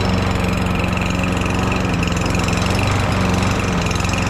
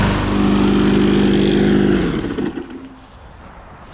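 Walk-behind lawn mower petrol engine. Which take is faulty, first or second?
first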